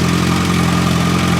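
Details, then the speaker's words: Suzuki Bandit 1250 FA with 62,000 miles, freshly refilled with motor oil, idling at startup through a Holeshot slip-on; stage one tune, snorkel removed, secondary butterflies retained. Steady even idle, smooth low hum, no valvetrain ticking or clatter: normal idle. "Keep in mind this bike has 62,000 miles on it. Listen to that idle. Not one click, not one clatter or nothing."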